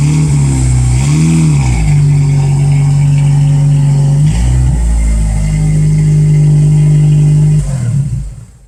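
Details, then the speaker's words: Exhaust after repair with Walker pipes, new simple clamps and welding of a gap at the Total Flow muffler, revved outdoors: a clean, even note rising and falling with no ticking, puffing or rattle; sealed and healthy. "I'll do a little revving and give you a perspective of what the TotalFlow muffler sounds like, also when it's not leaky."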